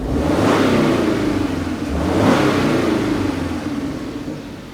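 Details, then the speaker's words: Subaru Forester held at raised rpm gives a rhythmic puffing, about four pulses a second, over a steady mid-pitch drone; sounds like an exhaust leak or clogged catalytic converter, possibly internal engine, but the exhaust leak is doubted. "It sounds kind of like an exhaust leak, but it sounds also like a clogged catalytic converter too. Let me add some RPM to it."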